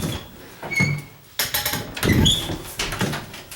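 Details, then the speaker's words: Interior door hinge squeaking as the door swings, short high creaky squeaks from dry knuckles rubbing inside the hinge for lack of grease, not the door hitting the wood; checked before painting condo doors, fix is greasing the hinge. "any of your your door hinges that are rubbing let's say listen to this door hear [Music] that that's because in between the knuckles somewhere it's it's doing that it's not hitting the wood or anything"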